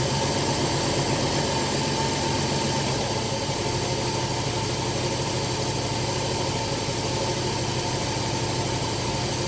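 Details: Carbureted engine idling after carburetor, distributor and timing adjustment: a steady, even idle rumble with no misfire, and a faint rattle from what sounds like something loose inside the muffler; engine idling properly.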